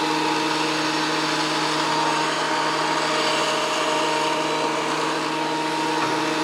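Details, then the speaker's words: WEN PL1326 15-amp 13-inch spiral benchtop thickness planer after repair of damage from misuse, feeding a small board: steady high-pitched motor whine with even cutting roar, no knocks or chatter; cutting normally again. "well that was running through real nice gotta like that seems to be functioning again"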